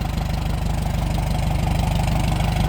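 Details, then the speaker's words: Old petrol tractor parked for years, restarted after the nearly closed points were fixed; it was earlier thought to be a carburetor problem. It holds an even, rapid low-thumping idle with no misses, knocks or stumbles. Running smoothly. "Yeah, she's running good. It really didn't take all that much to get it going again."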